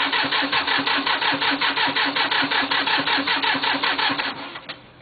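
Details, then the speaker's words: Cub Cadet diesel tractor with 874 hours, cold start after glow plugs heated until glowing red: slow steady cranking, about three compression beats a second, never catches, then winds down; cranks but won't start, only fires if cranking speeds up. "get cranking a little bit faster and faster and faster she'll finally start when she start slowing back down cranking she ain't going to do it so anyway that's a f cold start on that tractor"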